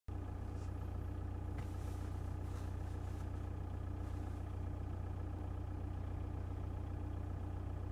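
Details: 1.9 TDI diesel idling: deep steady drone with a regular knock about three times a second; engine knocking, source unknown.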